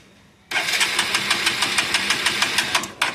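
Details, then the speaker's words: Motorcycle with oil leak, before fix: uneven cranking beats, roughly three a second, for under three seconds, then it stops dead; won't start because spark plug is oil-fouled. "இப்ப வண்டி நான் start பண்றேன் பாருங்க. அப்படியே app ஆயிடுது."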